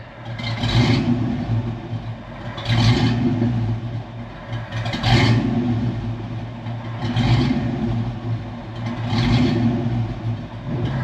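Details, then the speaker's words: After O2 sensors fitted (before, ran fine until warm then stalled) and H-pipe changed: idle rises and falls about every two seconds from cranking, cold or hot; idle hunting, cause unknown. "But now, as soon as you crank it, cold or hot, it does that."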